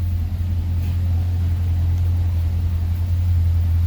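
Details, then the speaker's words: Twin-turbo Chevrolet Caprice PPV V8 on pump gas and low boost after repairs to leaking wastegates, a folded gate diaphragm, a melted flex pipe and exhaust leaks: steady deep idle, much improved, no puffing or ticking; injectors clicking. "I really had to rip into this thing to fix a lot of stuff idle is way better"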